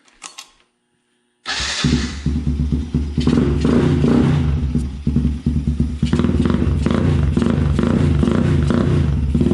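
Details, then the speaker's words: Can-Am DS90X after porting head, setting cam timing and fitting Hetrick kit intake, carburetor (not yet fine-tuned), exhaust and clutch springs, first start after intake ground reattached: catches, crisp steady single beat revving cleanly; sounds meaner, healthy. "Definitely sounds meaner."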